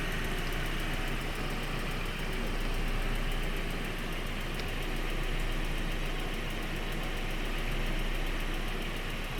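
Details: 1.8T engine at idle: light, fast tick about three per second over a steady idle, persisting as it runs; source still unknown.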